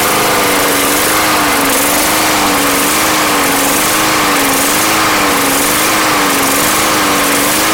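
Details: Yard Machines mower bought not running, hot-started after a Seafoam treatment. A high steady drone with a slight hunt about once a second, running fairly evenly and clearing up a lot; the cause of the hunt is unconfirmed.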